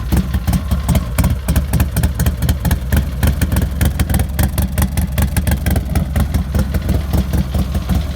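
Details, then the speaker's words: 2008 Harley-Davidson CVO Screaming Eagle Dyna, 110 cu in V-twin, 9,457 miles, Vance and Hines exhaust; cold start with oil temperature reading cold. Fires quickly and settles into a loping, even idle with a deep, steady exhaust beat. Normal. "Real nice exhaust note."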